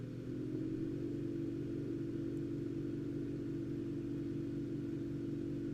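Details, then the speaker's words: Enermax NEOChanger pump/reservoir for PC water cooling at 2,500 RPM setting: steady mid-pitched whir with a faint even pulse, like a medium-speed fan. Normal pump whir. "And you can hear that pump really kick in there. I can hear it. It sounds like kind of like a fan at medium speed, really."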